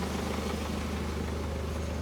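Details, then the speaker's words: Hyundai Santa Fe diesel brought in for cylinder 3 misfire, smoke and oil leak, after repair: steady, even idle clatter with no stumble or shake, running smoothly; turbo still to go to turbo service. "то що нас просили зробити ми зробили працює рівно не буду газувати"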